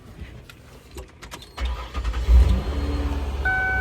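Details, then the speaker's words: 2003 Ford Windstar van, starting after its tank was drained of water-contaminated gas and the settled gas was reused: quiet, then the starter catches and the engine settles into a steady, even idle without stumbling or misfire, a normal start. "there she goes."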